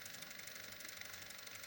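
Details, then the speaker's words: ACL camera with 4-speed motor, noise level test: quiet camera whir with a fast, even fluttering tick from an unthreaded film roll in the magazine. Motor itself near silent; noise comes from the camera, magazine and axle coupler. "It has the film roll inside but it doesn't have the film thread it."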